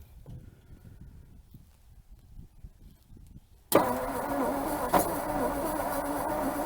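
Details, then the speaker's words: 1956 Ford Customline V8 292 Thunderbird engine, Holley four-barrel, off the road 50 years, first start attempt after cleaning points, fuel poured in, spark confirmed; sudden rough catch, ragged firing on maybe a couple of cylinders. "well we got something out of it maybe a couple of cylinders"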